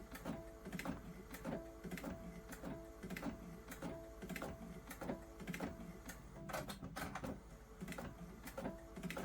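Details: Epson A550 printer on a borderless, normal-quality sublimation print: sharp clicks about every half second over the soft whir of the carriage; unusual clicking during printing, cause unknown, though the print came out fine.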